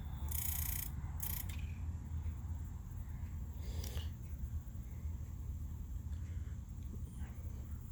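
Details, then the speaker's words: Leslie speaker fast motor in the motor stack: low, uneven rumble that surges, jumps and sloshes with a few clicks; motor to be rebuilt. "fast motor issues isn't it and it's jumping sounds and it's sloshing from time to time so i'm have to rebuild this thing"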